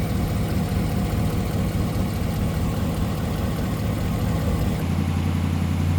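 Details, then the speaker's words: 2017 Ram 1500 Rebel V8, cold-soaked after days parked, after fitting BD Diesel exhaust manifolds: steady, deep cold idle with no exhaust tick or leak; a brief cold, rainy-weather belt squeal at startup. "But the important thing is that there's no longer an exhaust tick, no longer an exhaust leak."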